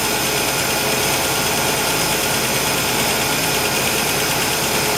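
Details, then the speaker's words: 1965 Ford Falcon inline six with EFI, started to check for valve tapping: even idle with a steady hiss and no distinct ticking above it; no tapping, normal idle. "I don't hear I told you! I told you! I don't hear anything. Ah, I was right!"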